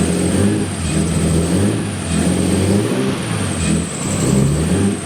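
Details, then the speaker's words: Nissan S13 RB20DET running on a new Ecumaster Classic ECU, blipped: a thin high squeal holds over the engine through the revs; the accessory belt squeaks, cause unknown. The tachometer is not working and the throttle response is still not right. "But anyways, it's working now. The belt squeeze for squeaks for some reason."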